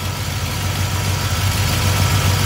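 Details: Small-block Chevy V8 with an Edelbrock carburetor, idling after ignition timing is reset to 8 degrees by rotating the distributor. Strong, even, low burble at a steady idle with no misses, ticks or knocks. Normal idle.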